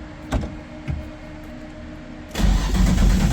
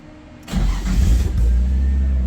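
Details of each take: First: Nissan 240SX cold start: a couple of short cranking bursts fail, then it catches on the second try and runs rough and loud; hard cold start, typically needs a second crank. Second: Nissan 240SX cold start: short crank catches and settles into a steady, low idle with no misses or knocks; normal cold start and idle, though it usually needs a second try.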